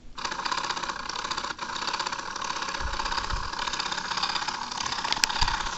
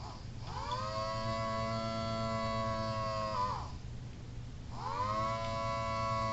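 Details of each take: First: Homemade rotator gearbox driven by a 12 V DC motor run on 3 V DC through a pulley and worm gearbox, no load: steady light whir with fine gear rattle, even speed, no binding; normal running, though it skips teeth under load. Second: Homemade mini Thunderbolt siren rotator running on a used, about half-dead 9 V battery when it needs 18 V for full output: wailing tone rises, holds about three seconds, drops, winds up again, sounding thin and weak.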